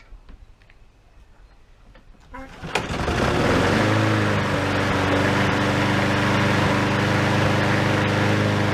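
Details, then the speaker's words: Old lawn mower after rebuild, exhaust cleaned, some smoke possibly from too much oil, earlier slight backfiring: starts first pull, steady putter about four beats a second with faint firing unevenness; slightly uneven running, owner suspects timing slightly out. "the engine probably isn't running perfectly perfectly smooth you could probably hear there's something in the timing may be slightly out but otherwise I'm happy with it"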